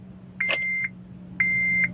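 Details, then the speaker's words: Honda Element, key turned on: two high, clean beeps about a second apart and no cranking at all. Owner suspects the starter or neutral safety switch; the shifter won't go into neutral and the battery is running down. "and nothing all right try again nothing does absolutely nothing so I don't know if it is the starter the neutral safety switch"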